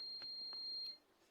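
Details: Microwave door switch after repair: a clean steady high beep of about a second from the meter shows the switch, which earlier gave no reading, closing and conducting properly.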